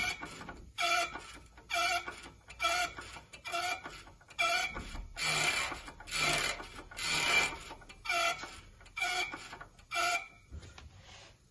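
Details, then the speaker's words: Brand-new Maxitrak 5-inch Alice steam locomotive: the hand pump gives slow, even rasping strokes about once a second. It is freed after a hot-water dousing and a light hammer tap to release the balls, and draws water normally. It has not been tested under pressure; any problem would be in the check valve. "so all that does is show you that the hand pump is working as it should do it's not showing you that it'll work under pressure"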